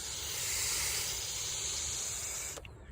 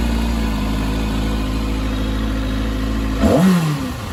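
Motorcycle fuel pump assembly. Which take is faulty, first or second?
first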